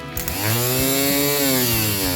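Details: 1953 Hillman Minx barn find, unused 30+ years: starter bench-tested off the car on reversed battery leads, spins up into a clean, steady whine at even speed with no grinding or dragging; healthy free-running starter before refitting.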